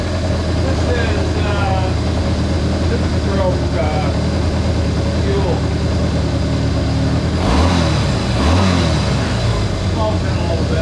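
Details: Honda CA160 Benly engine after carburetor rework (clogged pilot and main jets cleaned): steady even running, picks up cleanly when blipped and settles without stumbling; runs well.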